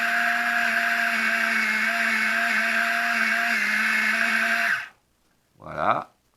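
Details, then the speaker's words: Gerui GR-12-005 electric cigarette-rolling machine fed with moist, long-cut tobacco instead of dry short-cut: steady whirring motor hum sagging slightly under load, then cutting out; motor straining on unsuitable tobacco. "Le tabac est pas très approprié. Ce tabac là est pas idéal. Voyez, vous entendez le moteur qui force."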